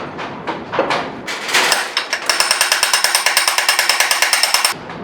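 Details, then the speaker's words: Volvo 340 abandoned 25 years, first start attempt: rapid even clicking about eight per second from the starter relay with no cranking; starter suspected, not confirmed. "I can hear the relay clicking so I think both things are can you well can you feel the solenoid clicking on the starter uh no it's the re the starter relays"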